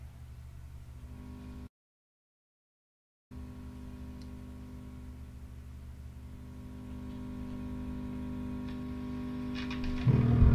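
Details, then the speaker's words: Single-ended tube amp at full volume: low putt-putt pulsing about three times a second over a steady 120 Hz hum, slowly swelling; motorboating, low-frequency oscillation that stops when the volume is backed off slightly. "it sounds like something straight out Star Wars you know some alien creature but that is what a motorboat sounds like"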